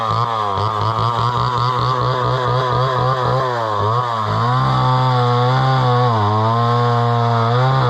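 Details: Homelite Super XL chainsaw bought at auction, probably 50+ years old, 20-inch bar; crisp two-stroke buzz rises and dips evenly as the throttle opens and the chain cuts wood, pulling cleanly; runs well with good power.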